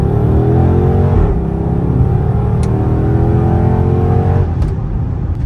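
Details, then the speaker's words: Dodge Charger/300 AWD road test in sport mode after replacing the right-hand CV axle, axle seal and front differential fluid: smooth rising engine note under hard acceleration with no clunks, clicks or grinding. Normal acceleration. "I'm listening for sounds and I don't hear them perfect we're going to do a little acceleration three two one"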